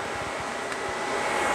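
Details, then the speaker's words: 1996 JDM Honda CR-V RD1 with a K24A3, AWD: both radiator fans forced on through KPro by setting the fan threshold to 50°F (sensor reading 55°F), pulling a lot of air. Steady, even rush with a faint whir and no rattle; normal fan operation. "and it is glowing pulling air in through here yep [Applause] very nice it's quite a bit of air"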